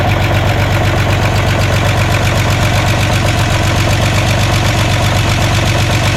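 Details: VW Jetta just restarted after a clutch job, cold idle: fast, fairly even light ticking of about two to three per second from fresh lifters, expected to go away as they pump up with oil.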